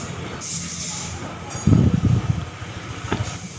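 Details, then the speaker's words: Honda scooter CVT (2018, about 24,000 km) makes a very rough, gravelly growling "ngorok" rumble in bursts when pushed by hand; worn CVT bearing (size 6902), fixed by replacing it. "tapi ini CVT nya ini suaranya itu kasar sekali seperti ngorok ngorok kalau didorong suaranya kasar sekali ini 2018 berarti baru dua tahun tapi suaranya sudah kasar sekali"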